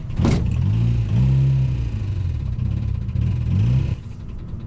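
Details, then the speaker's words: 1.8L wrecker-engine Yaris with a $169 eBay turbo, driven flat out on a track lap; laboring rough uneven drone under load that drops off suddenly, driver fears the engine blew and it died at the line; strange noise under load. "There's a strange sound. I just heard a strange sound."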